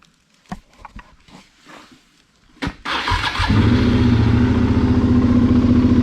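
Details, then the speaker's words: 2009 Suzuki SV650 salvage bike, about 8,700 miles: a few clicks, short crank, then catches and settles into a steady even idle with no knocks or misses; runs and sounds good. "want to hear it run it does run sounds good"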